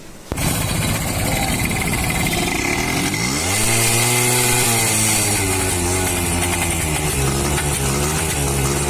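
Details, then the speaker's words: H100S motorcycle misfiring on pickup from start, revving unevenly with a hissy puffing sound; starting coil in the circuit found to be a rewound one and circuit marks disordered. "তো এর problem হলো স্টার্টে pick up ধরলে miss fire করে, ফিস ফিস ফিস ফিস শব্দ হয়।"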